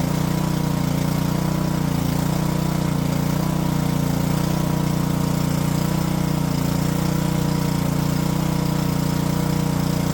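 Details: Junked Honda-powered Homelite pressure washer after carb cleaning and a float-valve check runs at fixed speed but the note wavers and hunts; the owner suspects bad gas and drains it for fresh fuel. Surging.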